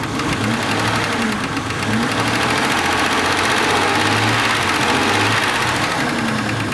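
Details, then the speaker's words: Jeep Grand Cherokee with Chrysler inline-six engine, over 200,000 miles, revved under the open hood: light quick ticking over the engine, a valvetrain-area noise rather than rod knock, traced to a loudly clicking fuel injector. "now you can hear the engine ticking it's a 6cylinder inline for later and the vehicle's got over 200,000 M on it"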